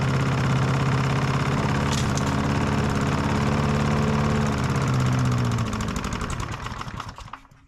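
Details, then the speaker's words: Old Masport mower, about 35-40 years old, sitting about six years on old fuel that no longer smells like fuel: uneven chugging beat with faint rattle, fading and dying after about six seconds; rough running, stale fuel suspected, plug and fuel to be replaced. "yeah it doesn't even smell like fuel anymore that's terrible no one it didn't run real good"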